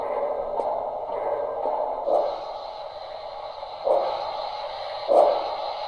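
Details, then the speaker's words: Broadway Limited model steam locomotive: a rattly buzz flares on the whistle and on each chuff about every second; speaker vibration buzz from the speaker sitting loose in the tender shell. "i'll show you what i mean here it sounds okay right now but you'll notice as soon as i hit the whistle hear that awful"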